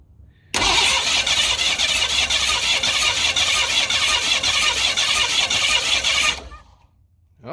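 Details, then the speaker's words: 1991 Mustang GT, compression test on cylinder four with throttle held open: rapid, even cranking about three turns per second for six seconds without firing; this and another cylinder have low compression; borescope inspection next. "well that one ain't good either okay you don't need to you can let off the throttle so those two cylinders are not making enough compression to make power for sure"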